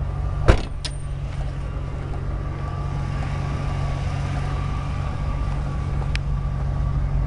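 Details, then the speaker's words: Ford F-250 pickup with new exhaust, idling at a stoplight at night; low, steady rumble with no rasp, leaks or rattles, much quieter than before. Normal idle. "that's what it sounds like it's uh nothing too fancy but it's certainly a lot quieter than it was"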